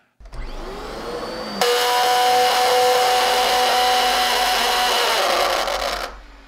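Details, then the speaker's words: Dyson DC14 Animal vacuum: the motor jumps to a loud, steady high-pitched howl for about four seconds, then fades. Brush roller stall, from carpet that is too high, a bumped head, or a failing clutch. "that sound you just heard is what happens when you stall the brush roller either on too high of carpet accidentally bump the head or when the clutch starts going out"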